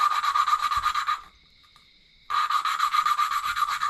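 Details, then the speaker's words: Hand-lapping a valve into its seat with compound on the Honda mini bike engine's ported cylinder head: a gritty back-and-forth rasp, about two or three strokes a second, with one pause, getting finer as lapping proceeds. "You'll hear it get gritty again and then you'll hear it as it gets finer and finer. And that's what you're listening for."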